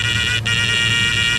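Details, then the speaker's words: 1969 Dodge Charger electric in-tank fuel pump run alone with plenty of fuel in the tank: loud steady high-pitched whine and buzz with a brief dropout, getting worse the longer it runs. It sounds like cavitation, which the owner suspects caused the engine bucking; the pump is being replaced. "you'll start hearing it it's going to start making like a cavitation sound like it's getting towards the end there's no fuel but there is plenty of fuel here you go hear that that's probably where my bucking was coming"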